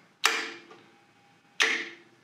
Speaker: I'm going to disconnect the motor, so that all we'll hear is the solenoid.